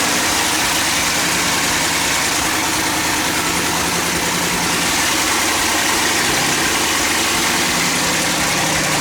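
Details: 1200 hp twin-turbo LS Mustang after water pump refit and coolant bleed, throttle body opened slightly, untuned on Holley: loud, steady, lumpy big-cam idle with constant hiss, no stumbling or dying; holds idle fine.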